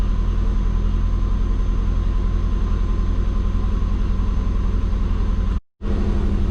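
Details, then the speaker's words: Twin-turbo Subaru after base timing rescale, warmed up to temperature: steady, even idle sitting around 1400 rpm instead of dropping to 600–900; owner suspects the injectors can't go that low; high idle when warm. "Alright boys, so it's like idling at 1400."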